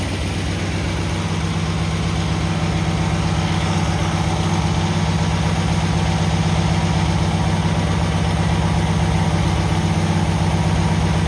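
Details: Cub Cadet 782 tractor started after repair: steady, even low drum with a regular beat, no misses, knocks or hunting; runs smoothly and healthy.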